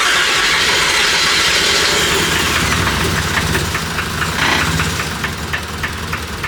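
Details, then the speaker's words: Toyota 1JZ-GTE built engine swapped into a Nissan 350z, first start-up: ragged, stumbling six-cylinder revs on throttle blips, a very bad misfire. "what it sounds like you're trying to starve so you wanna change it feels like there's a very bad misfire"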